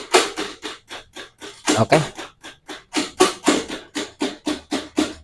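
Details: Honda Beat carburetor scooter with weak starter complaint: repeated sharp clicks about three per second with no cranking; starter relay chattering on a weak battery.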